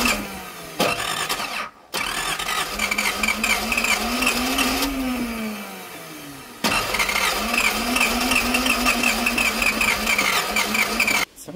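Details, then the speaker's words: 1978 Datsun 280Z, first start attempt in 30 years, fuel added; long cranking bursts with a wavering whir, never catches; fuel delivery or the airflow meter is suspected. "Sounds like a feeling issue then."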